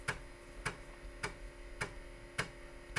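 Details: Rebuilt Atari 810 floppy drive, restored from shattered pieces, formatting disk 2. Sharp evenly spaced clicks roughly every half second over a faint hum as the drive steps through the format; normal disk formatting.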